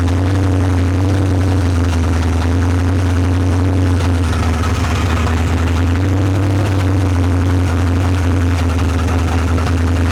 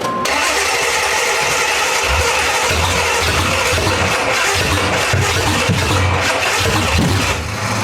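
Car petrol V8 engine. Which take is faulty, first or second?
second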